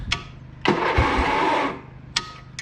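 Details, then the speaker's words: Old Snapper SR95 riding mower, engine that had water in it, crankcase flushed with brake cleaner and no oil in it: about a second of starter cranking then stops; ignition now fixed but the engine doesn't fire. "i don't want to crank it too much there's no oil in it"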